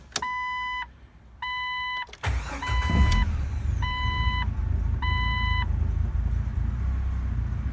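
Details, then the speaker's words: 1997 Jeep Wrangler TJ after fixing no fuel pressure by cutting out and splicing a faulty plug, restoring power to the fuel pump; low fuel in tank: warning chimes, a short crank, quick catch and a steady, even idle with no misses. "so that's it that's what got this thing running I'll crank it up for you real quick"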